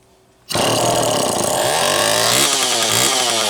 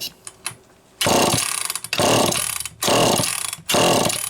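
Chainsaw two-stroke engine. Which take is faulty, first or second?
second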